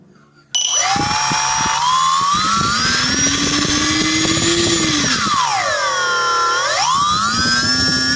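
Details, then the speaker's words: Turnigy D2836/8 1100kv brushless motor, new: whine rises and falls with throttle, sounds fine starting up but a gritty rattle from a bad bearing shows when backing off. "okay so it sounds well when it starts off and then when you back off you can hear the bearing noise"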